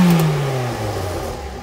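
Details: 2006 Ford Fiesta ST after fixing the manifold heat shield, welding the back box and fitting a new 4-inch stainless tip: a single rev falls smoothly to idle with a deep even note, no blowing, ticking or rattle; the exhaust is sound.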